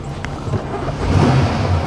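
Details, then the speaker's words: 2004 GMC Savana 3500 6.0 V8 towed in with no crank, after bypassing relay: low steady rumble settling into even run, no knocks or misses, check engine light on; normal running. "she runs sort of check engine light is on"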